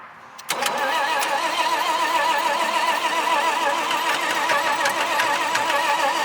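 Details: 1968 Dodge C500 truck with new HEI-style distributor, coil and plug wires: starter whirs at about three to four beats a second but never fires; owner suspects fuel not reaching it from tank valve or pump, or no spark.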